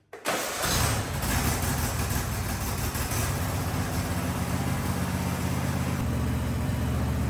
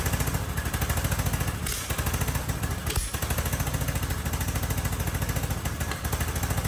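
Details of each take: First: Husqvarna riding mower (believed a 2554, barn find) started to warm the oil before an oil change, ahead of fitting new air and oil filters: quick crank, catches at once, settles into a steady even low rumble; healthy start and idle. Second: Husqvarna riding mower barn find, believed a 2554, intake manifold and air box removed, brake cleaner sprayed in as starting fluid: fast rough lumpy chuffing about three and a half beats a second, catching only on spray; carburetor gummed up.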